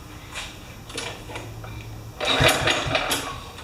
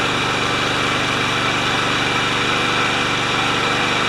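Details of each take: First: Kohler-engined Craftsman mower, being serviced with no brake fitted: a couple of quick pulls spin the engine over with dry chuffs but it never catches; crank, no start, no spark at the plug. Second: Craftsman mower Kohler single-cylinder engine with the dead-man control tie-wrapped open, intake seal tightened, during governor adjustment: a steady, even putter at a constant governed speed with one small dip near the end; running fine.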